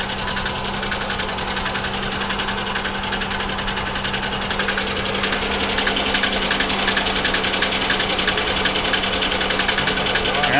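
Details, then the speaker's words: GM 3400/3100 V6 in a salvage car with a felt misfire: fast, even ticking about three and a half per second over a steady idle. Top-end tick suspected as lifters; blown lower plenum gasket and water in oil also suspected. "actually that does sound like lifters that almost sounds like this car maybe has the uh blown lower plenum gasket which these 3400s 3100s are absolutely known for"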